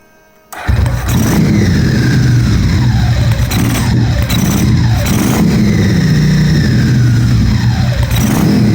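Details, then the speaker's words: 1997 Ducati 750SS V-twin, first start-up after fitting twin Keihin FCR39 carbs: revs hang above idle before slowly settling, with the characteristic FCR whistle. Owner judges the mixture slightly lean and will open the fuel screws half a turn. "I think when it does like that, it hangs. It means that it's a little bit too lean."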